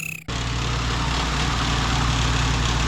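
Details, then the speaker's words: 1987 BMW 528e (E28), 4HP22 automatic, after fixing a clogged transmission filter following fluid change: steady, even idle with low rumble, no whine or clunk, engages gear faster; normal running. "I don't hear it. I think that was it. Jerome, that fixed it. And it's going into gear a lot faster."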